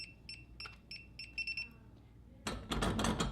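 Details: SECURAM SafeLogic Wi-Fi smart safe keypad: sharp high key beeps, then a quick triple beep with no bolt release after user 3 was deleted. The lock is rejecting the deleted user's code.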